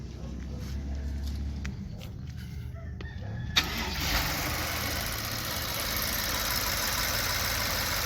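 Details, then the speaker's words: 2009 BMW 750Li (F01/F02) with an intermittent tapping complaint, suspected timing chain or lifter, possibly oil quality: on start it catches cleanly and settles into an even idle with no tapping right now. "So in this case, engine runs fine. If we start right now, engine will just like not make any noise."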